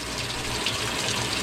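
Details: Used top-load washer on the normal cycle, cold selected, lid switch jumper just fixed, testing the inlet valves: steady, unbroken rushing hiss of water into the tub. Cold valve fills normally.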